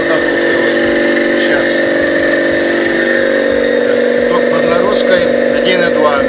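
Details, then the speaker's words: Copeland DKJ-75 refrigeration compressor test after repair (cylinders sleeved, valve plate and valves, connecting rods, piston rings, crankshaft ground), pumped to 15 atm, starts under load: steady hum with quick smooth pulsing, no knocks or rattles; no extraneous noise, ready for installation. "Посторонние стуки, шумы отсутствуют. Готов к монтажу."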